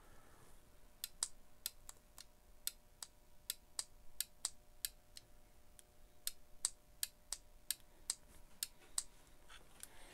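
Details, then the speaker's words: GM transmission on/off solenoid, 12 V, bench-tested with a power probe and alligator clips; crisp sharp clicks about twice a second as it snaps in and out cleanly, electrically good. "So this solenoid's good, electrically."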